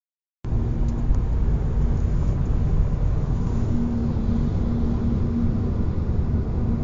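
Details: Hyundai IONIQ FL 2021, cabin recording, 50-140 km/h: steady low hum or whistle that grows louder with speed, same in neutral at 130 km/h and after switching winter to summer tyres, loudness changes with asphalt; source unknown.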